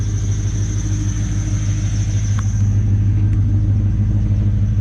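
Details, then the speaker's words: LS1 V8-swapped Nissan Patrol after exhaust leak fix: smooth, deep quiet idle without exhaust puffing, plus thin steady squeal from an idler pulley bearing, not the belt. "don't know if the camera will tell but it is so quiet now it is so quiet all you can hear is a squeal"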